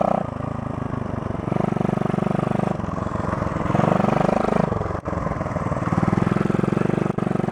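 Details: 1972 Honda SL125 single with new battery, cold start on handlebar choke: thumps along evenly with a couple of throttle blips, settling into a steady idle; normal idle after cold start.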